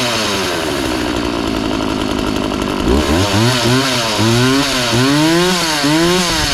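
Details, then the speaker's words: McCulloch Mac 3200 32cc two-stroke chainsaw, 14-inch bar, after repair, started with choke then half choke: fires up and revs cleanly in repeated throttle blips without bogging; chain oiling confirmed, runs good. "uh so everything's good with this chainsaw it runs good"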